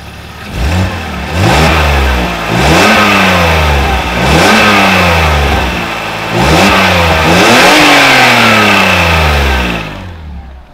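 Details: BMW E46 M54 petrol six after cylinder 1 coil replaced for misfire and exhaust holes sealed, revved in short blips, recorded from under the car: clean, even exhaust note, no puffing or ticking. Dusty vacuum lines found afterward.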